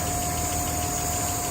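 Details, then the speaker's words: 1959 Alvis TD21 Series 1, heard under the bonnet, hot after a good run: steady, even idle with a constant electric fan whir and no knocks or misses; a normal warm idle. "Here we are, running nicely. You can hear the electric fan whirring away."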